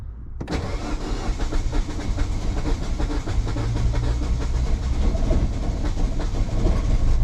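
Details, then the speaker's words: 2009 Mini Cooper S, N14 turbo engine, unknown history, in neutral with the clutch in on a 68°F day, with a suspected head gasket leak spraying out: the engine catches briefly and dies immediately. Cranks, fires briefly and stalls. "It's on. No, it died immediately, but it turned on."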